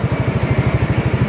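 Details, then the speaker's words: Yamaha NMAX 155 idling after an overheat repair with a new cylinder block and valve lapping. It was formerly noisy like a helicopter and is now quieter: an even low putter at about eight beats a second, no knock or whir; healthy idle. "Tapos, maingay daw to, tunog helicopter. Pero ngayon, mas tahimik na siya compare sa dati."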